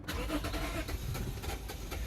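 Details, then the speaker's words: Lexus GS350 (stated as 2009 and as 2006) with no electrical power after a battery install; engine barely runs with an uneven, stumbling rough idle and won't stay running; fuel pressure looks low; owner suspects timing, washed cylinders or fuel pump. "it's running real bad really trying to get this thing to uh if I can get it to idle I don't know if it's cylinders washed or something but here it comes barely running"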